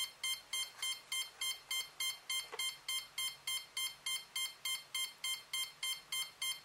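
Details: Cheerson CX-20 quadcopter, one motor's electronic speed controller faulty: rapid, even beeping about three and a half times a second after power-up, that motor won't spin while the other three do; fix is replacing the ESC board.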